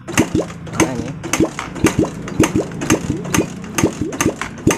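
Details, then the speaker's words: Suzuki Satria FU 150 that won't start though spark, fuel and compression check normal, valve clearances set: kicked about twice a second, turns weakly, never fires; no suction or fuel pushed at carburetor, suspected stuck carbon-fouled rings or leaking intake/exhaust valves. "tidak ada hisapan di bagian karburatorah kalau dia ada kompresinya yang padat waktu dikop ini mengeluarkan e bahan bakarnya keluar ya di bagian ini waktu kita kop seperti ini nah tetapi ini tidak mengeluarkan bahan bakar ya"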